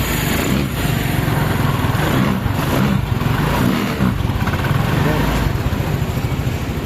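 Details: Rusi RFi 175 motorcycle after replacing the starter carbon brushes, which had left it unable to start: it now starts and idles with a steady, even low putter and no knocking or grinding.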